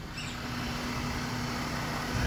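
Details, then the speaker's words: 2010 Ford BF Falcon wagon after water pump replacement and battery reconnect reset: quiet, even low hum with no knocks, squeals or rattles; engine purring, normal idle. "this sounds like it's purring away very nicely."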